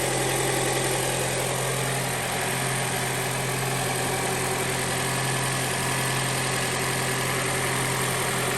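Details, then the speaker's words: 2021 Toyota Camry Hybrid in maintenance mode, AC and heaters off, engine running to bleed cooling system after coolant change at 100,000 miles: steady even idle, smooth low drone, no knocks or misses; normal idle. "And now we're in maintenance mode. And I have the AC and everything turned off."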